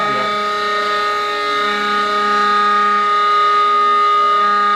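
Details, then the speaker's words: Two-stage Tesla disc turbine spinning near 20,000 RPM with no vacuum and imperfect balancing: steady, siren-like high whine with stacked tones as lubricant can't be pushed out of the bearing fast enough. "Yeah, so even up against right now we can't push the lubrication out of the way fast enough in the bearing. Mhm. That we can hear that. That's the main driver."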